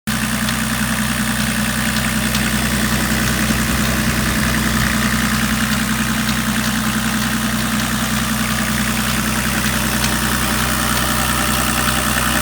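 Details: BMW 525 TDS E34 diesel: rough idle with an uneven knocking pulse, roughly three or four a second, over a heavy vibrating drone; abnormal engine noise at idle, source unknown.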